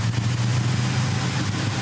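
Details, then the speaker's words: 1970 Dodge Super Bee, big-block Mopar 451 stroker, after carburettor high idle, mixture and floats were adjusted: smooth, even low burble with no misses or stumbles, adjustments checked and working; normal idle. "Checking all my adjustments. It's working good."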